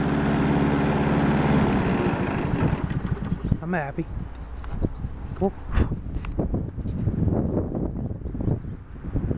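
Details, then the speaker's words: Honda Harmony 215 mower, warm, after third carb cleaning (idle mixture port uncleanable due to broken screw), restarted at idle: small engine settles into steady, even idle before fading off — normal idle. "really smooth and backs up good now."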